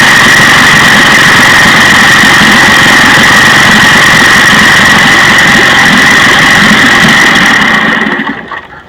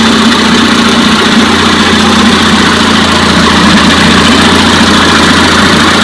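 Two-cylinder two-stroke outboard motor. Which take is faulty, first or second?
first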